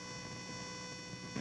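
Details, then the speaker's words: Mic at the speaker of a vacuum tube amplifier: steady buzzing hum with whiny tones when the computer's video card works, e.g. mouse moved; noise came via motherboard power/ground plane and stopped when audio out was unplugged. "But when I rotate, you can hear the video card actually transmitting either through space into the vacuum tube amplifier, or the amplifier is picking up noise on the electrical line from the video card."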